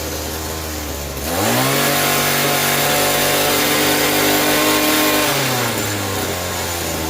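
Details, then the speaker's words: Echo SRM-2320T string trimmer, a heavily used curb find, taken off choke: a brisk buzzing idle that climbs cleanly to a steady high scream and settles back; the idle speed sits high and fuelling is suspect. "Okay, so it's running on choke. Take it off choke. Sounds like it's got a high speed."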